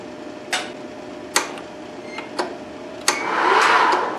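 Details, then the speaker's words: 2005 Wood-Mizer LT40 non-hydraulic sawmill power feed motor, previously only worked in reverse, after replacing electronic variable speed controller module: clicks, then smooth rising whir, even without grinding; drive working normally. "it worked works yup definitely working now you hear it"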